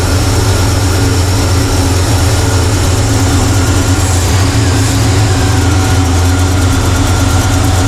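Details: 1985 Chevrolet C10 with Blueprint 350 V8, vacuum gauge fitted, won't go above about 500 rpm: deep V8 idle with slightly lumpy, uneven beat, no clear knock; low vacuum, owner suspects a vacuum leak, timing or air-fuel mixture, unconfirmed.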